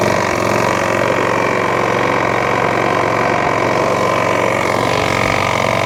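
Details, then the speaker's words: Old Mountfield 414 lawn mower bought secondhand, drive working: loose, uneven knock about four per second over the idle; owner thinks it is a rod knock. "but the drive does work but my Christ do it make a knocking noise I think it is a rod knock let me know what you think in the comment section"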